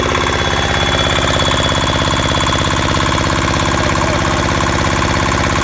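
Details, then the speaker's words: Hatz single-cylinder diesel from a military-surplus water pump, stored unused, apparently since 2003, on its first start: loud, steady, rapid thump at constant speed with no misses or odd knocks. Runs normally. "so we're gonna we're gonna fire it up here in a second and uh i got a feeling she's gonna percolate just fine"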